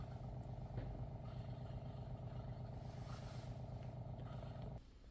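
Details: WaterFirst countertop reverse osmosis purifier, first-time setup: a smooth low hum with a steady pulse that stops cleanly near the end as filtration completes; the pump runs normally and shuts off.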